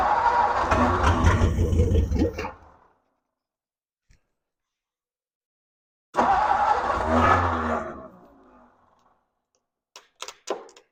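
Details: 1957 Ford Thunderbird barn find off the road 50–60 years, first start attempt: engine catches, runs rough a couple of seconds, fades out, repeats, won't stay running; bad fuel leak from carburetor bowl/base plate, carburetor work needed.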